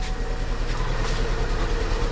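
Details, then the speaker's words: 2012 Chevy Sonic 1.8 L petrol idling: uneven, lumpy low rumble and shaking with a blinking check engine light, code P0300 random misfire; coil found with broken tip and base, likely arcing to ground; fixed by replacing coil and plugs. "you can you can tell just by the shaking that it's not running really good so i'm not going to keep running it"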